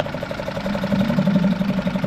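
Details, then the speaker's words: Suzuki DF5A four-stroke outboard (2017 on) after full service, pull-started on internal tank, choke partly in, in neutral: small engine putters at steady even idle, no knocks or misses, good cooling water flow; healthy. "and there we go very light engine pull put good water coming out"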